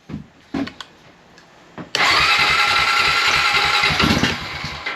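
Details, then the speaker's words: 2001 Honda Rancher 350 ATV with brand-new unadjusted carburetor, intake partly installed, jump box for weak battery: fires and revs hard for about two seconds then sags and dies toward idle; won't idle, idle screw set too low. "oh won't idle Let's uh let me go mess with my idle screw real quick"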